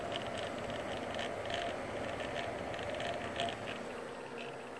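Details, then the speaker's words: Corsair H75 liquid cooler on a PC idling at a game's main menu, rear fan running: irregular light rattling and clicks from the pump over steady fan hiss and a faint hum. "that's about the issue. Just that rattling noise coming from the pump."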